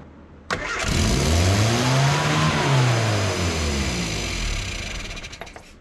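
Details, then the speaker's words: Austin America (Mini series) with S.U. carburettor just after starting: engine races to high revs on its own then slowly sags instead of idling; suspected misadjusted throttle cable not closing, just readjusted, possibly pulled too far. "you just rev all the way up again yeah i wonder if the throttle cable is misadjusted"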